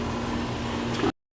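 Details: Old R22 2.5-ton condenser after new fan motor, blade and hard-start capacitor, unit raised, delta over 18 and airflow verified: even steady hum with faint constant tone, no knocking, rattling or squeal; running normally.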